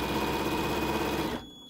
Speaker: the squeal and the light turned red that's my indication that i'm moving my fabric faster than my machine can sew and it can't keep up